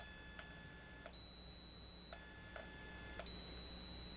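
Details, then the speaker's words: Gorf arcade ROM/RAM board: logic probe on J9 pin 13 CPU reset line alternates high and lower tone about every second, showing reset pulses repeating on basically every signal on the board. "And as you can see, it's resetting. And I'm getting that reset on basically every signal on the board."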